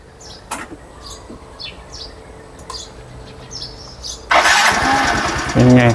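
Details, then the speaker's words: Yamaha Grand Filano scooter with a 20F 16V supercapacitor added to the 105 CCA battery (185 CCA combined), voltage dipping from 13.54 to 12.99 V while cranking: one brisk, strong crank catching within a second into steady idle; easier starting. "แล้วเครื่องยนต์ก็สตาร์ทง่ายนะครับอสตาร์ทง่ายขึ้นอ่ะฟังเสียงสตาร์ทอีกทีนึงนะ"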